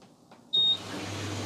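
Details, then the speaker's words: Electrolux clothes dryer after fan replacement: short beep, then an even, steady whirr and low hum with no rubbing or rattling; normal running, like new. "ah how good is that perfect like a new one awesome now we can button her up"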